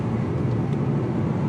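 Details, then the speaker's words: 2020 Ford Mustang EcoBoost HPP, 10-speed automatic, rebuilt MAPerformance Stage 1 forged short block, tuned, 12 psi wastegate, past 500 miles: even engine roar revving under light load with no pinging. Knock appears only under load and boost past half throttle, not from RPM. "let's see look I'm up here just keeping the load down you don't hear it it's when you get past that half throttle is when you hear it it's not RPM it's with load and boost"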